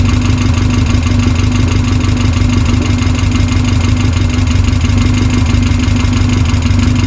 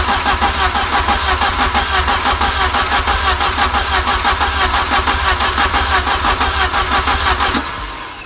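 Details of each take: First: Westfield SEiW kit car engine first started after 7 years unused, new cambelt kit fitted, manual choke, no coolant yet; steady even tickover with low unbroken hum, no knocks, ticks or hunting; idles cleanly. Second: Westfield SEiW kit car with a newly fitted cambelt kit, first start attempt after fuel and ignition were sorted: starter churns steadily at about three beats a second for over seven seconds without firing; extended cranking without starting.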